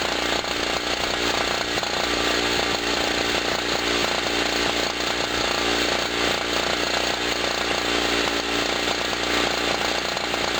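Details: Generator after its first cold start of 2016, having sat about a year, under electrical load from a 40 W bulb and a noisy air pump: a loud, steady two-stroke buzz holds an even pitch, compressor chattering nearby. Normal running under load.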